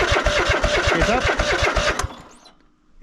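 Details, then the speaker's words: Cub Cadet GT 1554 mower not started for about 2 years: quick chuffing firing, two or three beats a second, then quits after two seconds; stalls from fuel starvation, little fuel in the filter, suspected blockage in filter or line. "H getting fuel in the filter and not a whole bunch. Interesting. Maybe there's a blockage in the fuel filter. There might be a block in the line."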